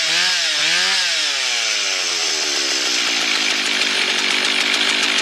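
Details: Husqvarna 1100 chainsaw, after fixing stalling and low chain oiling: revs high, then a steady, even snarl as it cuts wood with no bogging or stalling.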